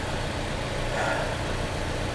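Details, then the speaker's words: 2010 Chrysler Sebring Touring salvage car at idle: smooth, even hum at a steady level with no ticks, knocks or stumbles. The engine runs very well and is normal. "It runs so damn good."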